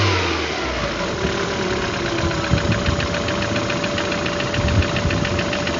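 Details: Engine knock: quick, regular light knocks over a rough idle that briefly picks up revs; knock clear, cause unknown.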